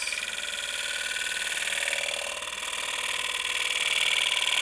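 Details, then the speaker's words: Woodturning a honey locust volcano bowl, bowl gouge sharpened at 60 degrees, slow cut: steady high hiss peeling wood with an even slow rhythm, no chatter or catches; clean cut picking up the surface before the final blend. "But right now this gouge is set at 60. So we're going to come in again. See if it picks up the surface."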